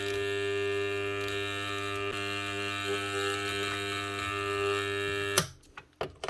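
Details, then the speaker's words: Burnt-out armature from a Bosch GWS 9-115S angle grinder that only hummed instead of turning: steady, loud mains-frequency buzz with a high ringing overtone, then cut off. All commutator segments are shorted together; armature cooked, replaced. "And that vibrating noise is the frequency of the power going on. So as the sine wave goes between positive and negative, it's actually turning on and off the magnet, or the magnet being generated by the armature. That's where you're getting that noise from it. So that is actually totally shorted out."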